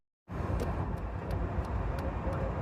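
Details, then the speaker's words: Jeep driving home after a fried PCM was replaced with a new computer and a new shifter bushing fitted: steady, even engine note under road rumble, no stumbles or surging; running great after repair. "They said they put the new computer in. All the other work I did was perfect and fine. It's running great. No issues."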